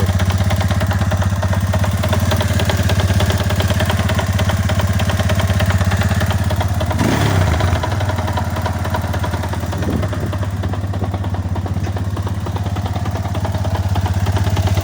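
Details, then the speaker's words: Chinese 250cc sportbike single-cylinder engine idling with a heavy, uneven knock on every beat. The owner fears a connecting rod failure and considers the magneto less likely; two covers are to be removed for diagnosis, so the cause is unconfirmed. "да ну страшно страшно щоб він працював дальше тому що щоб шатун не сказав Добрий вечір"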